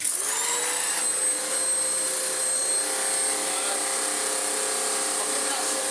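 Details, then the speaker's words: Vax Power upright vacuum, height control raised from low setting: steady high motor whine with faint rubbing hiss as belt wraps round worn-through brush roll end, eating itself and getting very warm; brush roll presumed scrap. "No, I was sort of hoping that it was going to snap and be a bit exciting on camera. It's definitely wrapped around."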